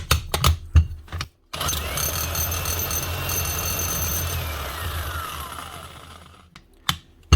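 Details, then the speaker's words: Old Makita demolition hammer running with steady hard hammering and a rising then falling motor whine, blows sounding dry and harsh; customer reports it gets hot in long use; dry-sounding hammer action, likely short of grease. "Yeah, definitely hammering anyway, but it does sound a little bit dry."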